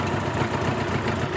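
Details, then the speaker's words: Old Honda Gold Wing flat-four at a steady, even idle with no knocks or misses, carbs leaking fuel. It sounds good, but it won't start normally, possibly a starter solenoid fault. "Not dead, but two poorly gold [Applause] rings. Well, it sounds good though."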